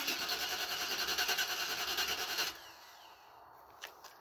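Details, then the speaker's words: Cadillac Fleetwood cold start at -2 degrees after heater core coolant valve work: even starter churn about three pulses a second for 2.5 seconds, no firing; fuel pump heard, gas smelled, battery weak, later blamed on failing OptiSpark distributor. "Oh boy, this is not working out too well. This has never happened before. It's never not fired before."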